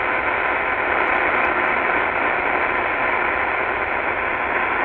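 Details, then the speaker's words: Stock Qodosen SR-286 radio on a vacant AM frequency, volume near max: loud steady buzzing hiss of digital hash noise from its own display; it worsens when volume or frequency is changed. "Okay this is not normal for the SR 286 you should just hear a vacant frequency without this digital hash Noise Okay so this is kind of like the poster child for a bad one"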